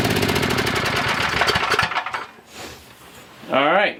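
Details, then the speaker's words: Coleman Maxa 5000 ER generator with old fuel, on choke: pops rapidly for about two seconds, then falters and stops; owner suspects junk in the fuel and plans to drain and clean the tank, cause not confirmed. "so we know that it fires over um more than likely it's just got a bunch of junk in there and the fuel is going to be an issue"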